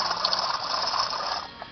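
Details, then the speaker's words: Worn wheel bearing removed from a 200,000-mile Jeep Cherokee, spun by hand: loose gritty rattle like marbles trapped in a can. "in case you're wondering what a bad wheel bearing sounds like kind of sounds like marbles trapped in a"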